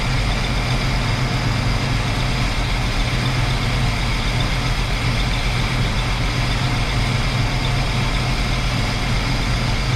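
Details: 1968 Chrysler Newport 383 big block with an Edelbrock 750 four-barrel carb on a Weiand intake, timing set about 10° BTDC. A steady, even low rumble at idle with no misses, knocks or surges. Normal idle.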